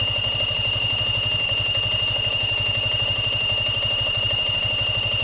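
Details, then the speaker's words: Yamaha Sniper 155 FI scooter, warmed up with the radiator fan running, after an oxygen sensor error was cleared: steady high-pitched whine over an even, quick idle pulse. The water pump is whining. "So napansin nato no kapanaggo ang iahang ah water pump."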